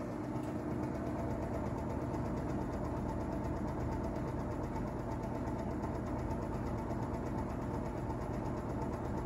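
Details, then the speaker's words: Vintage Toastmaster box fan, model 5327, running on low speed: steady hum with motor howl and whistling, plus a faint loose chatter of about three taps a second underneath; cause of the motor chatter unknown to the owner. "motor is howling a little bit there got the the whistling sound effects passing through you can really hear that chatter"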